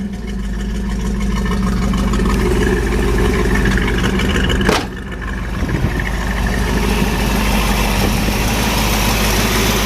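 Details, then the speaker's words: 1970 Dodge Challenger with a 340 V8 replacing the original 318, Edelbrock Performer intake, Edelbrock 4-barrel carburetor, side-exit T/A exhaust: even, deep burbling idle with a steady low rumble and no knocks or misses. "Nice smooth running little 340. Those are great motors too. Kind of like a 350 Chevy. Nice reliable Mopar."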